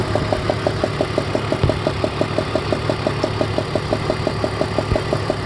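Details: 2002 BMW 330ci E46 at warm idle: sharp even ticking about three times a second; loose spark plug on cylinder #4 leaking compression, fixed by tightening.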